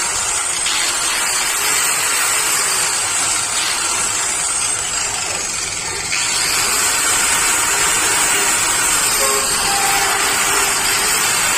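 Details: Angle grinder after repair: carbon brushes thinned and whole unit greased, including the previously dry bearings; steady high-pitched whine with even hiss, much quieter than before and no longer stalling.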